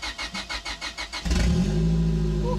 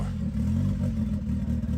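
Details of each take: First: Turbo Honda Civic that sat for years, cold engine with good compression, after replacing a blown ECU fuse so the fuel pump runs: starter cranks with even pulses, then it starts and runs smooth but loud, no exhaust fitted. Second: Abandoned turbo Honda Civic after vacuum line changes, no longer stalling: a low, lumpy idle with an uneven, stumbling beat. The AFR gauge reads 10.0, far too rich, most likely from too little air on the turbo side.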